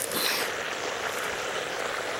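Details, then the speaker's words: Drip irrigation line under a bush: a steady high hiss like rushing water with a faint gurgle and no rhythm. Pressurised water is escaping from a leaking drip line pipe. "but I'm hearing some noises and it sounds like there's a leak somewhere underneath one of these bushes"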